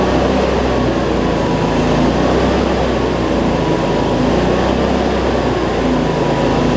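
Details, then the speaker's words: Cub Cadet zero-turn mower, Briggs V-twin, after fixing over-tight governor spring that made it race; no black smoke now, battery not charging; steady, even drone holding constant speed, no hunting; normal running. "smoke so so all right let's see we got multiplied here so that's much better"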